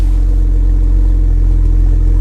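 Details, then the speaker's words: Cheap Copart Camaro SS at auction, low on coolant: deep, steady V8 exhaust rumble at idle with an even, unbroken beat and no ticking or missing. Normal V8 exhaust note. "that sounds nice I like this"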